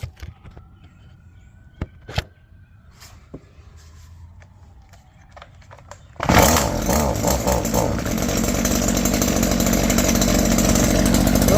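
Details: Stihl weed eater (string trimmer) after cleaning out squirrel-chewed wiring and repairing the shut-off switch, running on stabilized fuel: a few handling clicks, then it fires at six seconds and settles into a steady, even high buzz; normal running.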